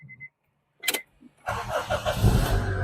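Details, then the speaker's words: Used Honda Accord being inspected for sale: a couple of chimes, a short crank, then it starts first time and settles into an even idle. "Okey, one shot dia sudah start. Kita start test."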